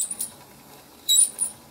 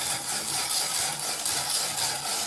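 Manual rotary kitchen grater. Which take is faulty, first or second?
first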